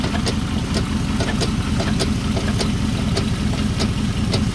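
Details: 2005 Chrysler 300C at idle: a sharp, fairly regular knock, just under two per second, over the engine rumble. The knocking was reported solved.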